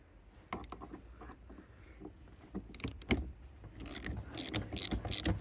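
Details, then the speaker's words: 2006 Peugeot 206cc after a snapped handbrake cable repair, slack backed off a few turns: five crisp ratchet clicks, then the lever holds firm, within the 5–8 click spec. "Try that. 1, 2, 3, 4, 5. It's locked up."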